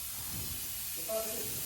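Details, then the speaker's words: John Deere 6R250 tractor back in the workshop after a rear tyre blowout while pulling a loaded trailer gives a steady airy hiss of air escaping from the tyre; it was inflated just enough to drive a mile. "Happy news, we got the trailer dropped off and the tractor back in the workshop. You can hear it hissing at us,"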